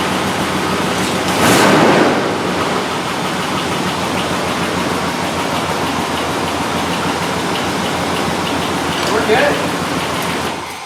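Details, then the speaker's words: 2003 Dodge Durango 4.7L V8 after replacing the warped passenger-side exhaust manifold and gasket: brief blip, then a steady, even run with no ticking or puffing; much better, though still a bit loud sometimes, suspected from the other side. "we're good that sounds a lot better to you way better way better it still sounds a little bit loud sometimes"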